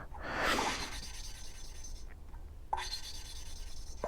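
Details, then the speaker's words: Hand valve lapping on a 1983 Suzuki GS1100E inline-four head: gritty rasping grinding as the valve is twisted on its seat with lapping compound; noise should fade as grit gets finer, so the seat is not yet fully lapped. "you want to make sure that you don't really hear that noise anymore that grinding noise because like i said the more you grind on this the more finer the grit gets"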